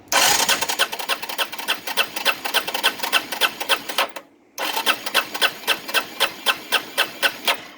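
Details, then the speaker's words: Arctic Cat 375 automatic 4x4 ATV after starter replacement: fast gritty high-pitched metallic rasp about three to four times a second while cranking; starter gear grinding, owner suspects a stripped or bad gear tooth, not confirmed. "It works. Kind of sounds like crap though. Like maybe somebody stripped the gear. Maybe there's a bad part in that gear."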